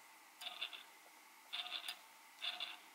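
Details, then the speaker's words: Eachine Tyro99 5-inch drone motors hand-spun after 10-12 flights on 4S: three short whirs with gritty, rasping high-pitched edge from the noisiest rear motor; owner suspects poor quality bearings. "hear that so I think these are poor quality bearings this one this one isn't as quite as bad this one here's the noisiest right here"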